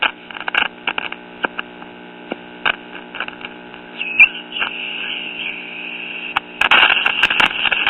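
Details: Late-1950s Japanese Londala tube radio after new volume control fitted: loud steady hum with crackles over weak fading reception, barely one station; a solder bridge shorting the mixer stage and a broken resistor were the cause.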